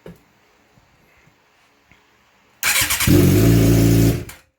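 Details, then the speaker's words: 2006-07 Suzuki GSX-R600/750 motorcycle after an aftermarket ignition switch fix (previously only a whine, no fuel pump prime); short crank, catches instantly and revs cleanly with a steady rising tone before shutting off, starting and running normally. "I got this thing all put back together. I'm in the house, but I'm gonna turn it on and let y'all know that it works."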